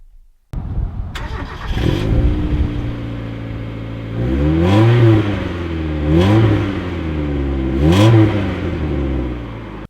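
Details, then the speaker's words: Mk1 Mazda MX-5 (Eunos) on its standard stock exhaust, before a Cobalt cat-back is fitted: engine catches, settles to a smooth idle, then three clean even blips; healthy, doesn't sound bad. "Now, before we go any further, let me play you a clip of how a standard exhaust sounds, which in truth doesn't sound too bad if you ask me."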